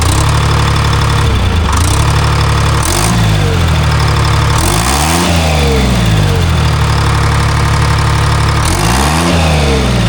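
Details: Timberjack skidder diesel after a motor swap with a transferred governor and a replaced N50 injector: steady drone that rises cleanly through rev blips and drops back without stumbling. Normal idle and revving.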